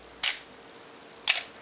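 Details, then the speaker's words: Canon AE-1 Program 35mm SLR with 50mm FD f/1.8 lens, untouched as found: two crisp shutter clicks about a second apart, opening and closing cleanly with no drag, buzz or the squeal common to long-stored Canons; normal shutter operation. "It does not have that characteristic squeal that many Canons have after they've sat for many years. I have not done anything to this, it is just the way it's found."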